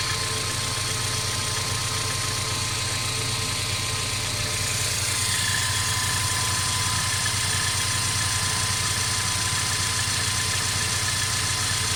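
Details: Mercedes CLA 250 at steady idle: fast continuous metallic rattle over the engine hum, unchanged throughout, source unknown; car also stutters when accelerating after long slow driving; constant engine rattle.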